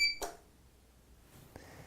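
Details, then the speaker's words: APC BE650G1 UPS switched on after plugging into mains: one short high beep then a soft relay click, indicator blinking as it charges; normal power-up. "And we are on, and the power is on. The indicator light is blinking, telling me, hey, it's charging."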